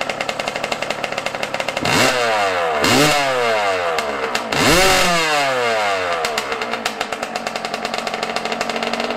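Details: Yamaha YZ125 two-stroke, not fully warmed up at about 20 degrees outside: ragged popping idle broken by three sharp, quickly falling throttle blips; carburetor out of tune, owner says it acted weird after he touched it, adjusting air screw and idle.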